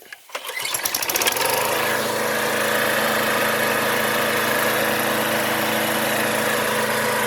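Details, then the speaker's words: John Deere JS20 push mower with Briggs & Stratton engine, after the belt idler pulley was replaced: the engine fires within a second, then settles into a steady, even run with no knocking or rattles. Fixed and healthy. "so in here there's the fix runs awesome"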